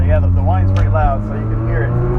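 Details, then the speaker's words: 1989 Toyota MR2 Supercharged with no catalytic converter and a K&N-style filter relocated to the engine bay, driving around town: low exhaust drone with a loud supercharger whine sweeping over it as it revs; noisy but running well. "makes a lot of noise but it runs pretty good around town"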